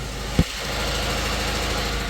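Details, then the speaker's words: Subaru FB engine after an oil change, no oil pressure, oil light on, cam position codes on both banks, driven many miles: single thump then loud fast tractor-like clatter over idle; oil pressure warning, cause unknown. "oil light is on it sounds like a tractor"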